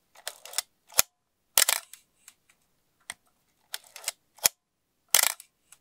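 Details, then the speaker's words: Asahi Pentax Spotmatic SP M42 film camera, serial 2483987, shutter test: crisp mechanical snaps in quick clusters, clean and even, no drag or hesitation; shutter firing properly. "that sounded pretty good to me"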